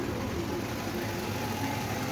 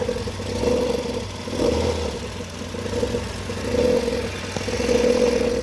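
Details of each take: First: Nissan Sentra petrol engine idling smoothly after replacing the belt tensioner and belt (weak tensioner spring and failed bearing had caused vibration and noise at startup); no rattle, chirp or vibration; normal idle. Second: Nissan Sentra engine running with a rough, surging growl over a mid-pitched hum at startup, with vibration. The belt tensioner spring has lost pressure and its bearing is damaged, and the belt is worn; replacing the tensioner and belt cured it.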